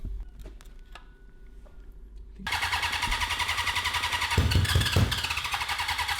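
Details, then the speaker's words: 1982 Honda CB750 engine for a cross kart, after carb needle and jetting changes: revs hard but sputters and breaks up, won't pull past about 4000 rpm, fire from the exhaust, no black smoke. Owners suspect a lean condition and plan to drill the jets further. "i mean it's blowing fire out of the exhaust too just to me that seems like a lean issue"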